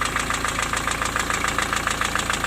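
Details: Diesel at idle after valve adjustment. The intermittent knock, present hot or cold, persists though seems slightly quieter. Sharp metallic knocks about six or seven a second.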